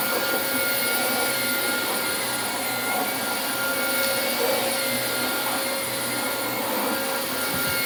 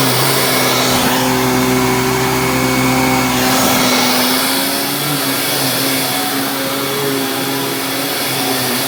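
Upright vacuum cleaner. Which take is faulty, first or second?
first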